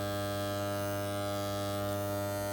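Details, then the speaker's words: Andis T-Outliner trimmer after the blade was reset and the screws retightened: smooth, steady electric buzz at constant pitch with no rattle or chatter, the right vibration; running quietly as it should. "Well, Lord, this is the right vibration I get now. Now back and nice. The right vibration, this for how you can use the machine."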